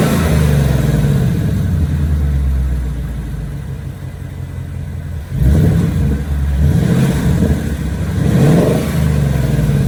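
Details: 2018+ Mustang GT V8 after the engine tick fix, revved with repeated throttle rises and falls: clean, even note with no tick at higher rpm, where it used to tick loudly before the fix.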